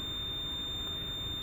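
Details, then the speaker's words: 1999 Lexus GS300, 257,000 miles, with warning lights on, no brake assist and a low brake pedal: a continuous high-pitched brake warning buzzer inside the car that stops only with the engine off; the fix was replacing the ABS modulator assembly. "that beeping is is annoying there's nothing I can do except shut the car off"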